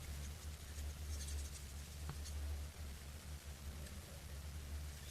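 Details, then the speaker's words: Folding knife shaken back and forth 24 hours after Loctite was applied to the loose stop pin: stays quiet with no rattle, only low room hum. "yeah neither do i so there you go i've done this many many times and every single case it works"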